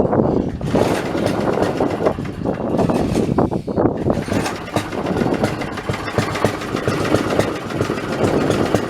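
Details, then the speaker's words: Old Snapper 3018 mower engine, running with a spark plug borrowed from a snowblower: an uneven, stumbling single-cylinder beat that surges, sags, misfires and backfires; rough running, and the owner suspects the coil/magneto unit is going bad. "well that don't sound that good uh that sounds to me like that I took that spark plug out of my snowblower and it was running fine tonight last time I ran that so I'm gonna say that probably that coil is going bad"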